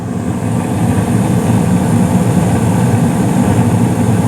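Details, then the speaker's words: Carrier gas furnace in attic, seasonal startup, panel off: steady low burner rumble with the blower motor's even whoosh, no rattles or surges; running normally. "you hear a nice like rumbling from the flames below in the playroom and the hallway and then you hear the motor itself turn on the blower motor"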